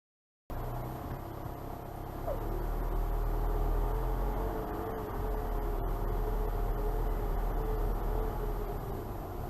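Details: 2012 VW Passat TDI (CKRA), warm idle after driving: deep rumble with faint wavering whistle, amplified by stethoscope at turbo compressor, turbine housings and actuator; earlier hot-engine hesitation and power loss; owner suspects impending turbo failure.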